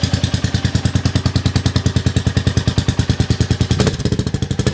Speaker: that sounds quite loud in here but I am indoors the Y that's quite loud actually engine's nice and smooth though